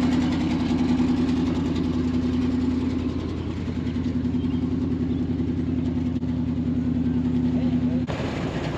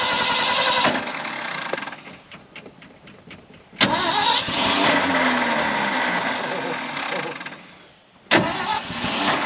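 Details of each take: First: 1974 Ford F600 dump truck running on two-year-old gas, smoking a little: a steady, even low hum holding one pitch with no misses or knocks as it idles smoothly. Normal idle. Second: 1974 Ford F600 dump truck sitting two years, choke pulled: starter churns steadily for several seconds, engine briefly catches and fades, then cranks again; a hard-starting engine.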